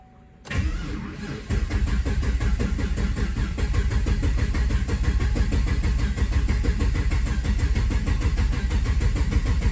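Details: 2015 Camaro SS V8 being diagnosed for a misfire, started with clear-flood during a relative compression test: fires after a short crank into a lumpy, uneven, stumbling idle; misfire from a bent pushrod, with one cylinder showing higher compression.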